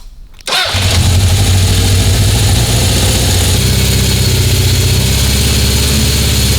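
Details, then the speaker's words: 1976 Honda CB750F1 SOHC four with electronic ignition, during carburetor balancing: cranks and catches, then holds a fast, busy idle that won't drop. Carbs balance but it is off the idle screw; owner suspects needle position. "See, I can get it balanced, but you can't get the idle low. It's off the idle screw, which is no good."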